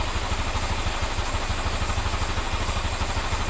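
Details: Honda Scoopy (Genio engine, code KOJ) after replacing the crankshaft bearing, connecting rod and valve seals and redoing the valve lapping: a steady idle of about three even pulses a second with no knock or rattle. Normal idle.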